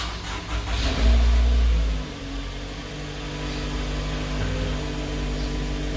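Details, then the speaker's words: 2011 Toyota Alphard Gen 2 (G type), push-button start after balance shaft and alternator pulley service; before the service it roared very rough on start-up. Quick crank, firm catch, then a smooth even idle with no roughness or knocking. "Suaranya udah halus lagi gitu loh. Kemarin begitu waktu di start itu suaranya bukan main kasarnya seperti yang tadi udah didengar gitu."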